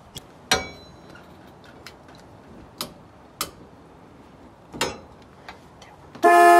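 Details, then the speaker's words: 1965 Ford Falcon horn, including a newly donated LO horn, tested after bending the steering column back into position to fix the horn and turn signal: light clicks, then a strong steady two-tone blare, so the horn works. "okay so now that the horn works we're going to go see if our turn signal finesse works"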